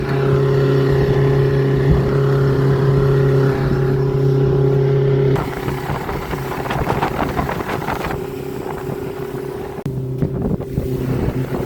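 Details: Mercury EFI outboard motor running at steady speed with a rough, gritty grinding mixed into its hum.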